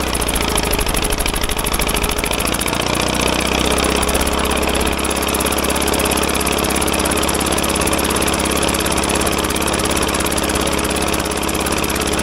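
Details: Caterpillar dozer parked since 1992, gasoline pony engine after cleaning corroded breaker points: steady idle, even firing, no knocks or misses; pony motor runs normally.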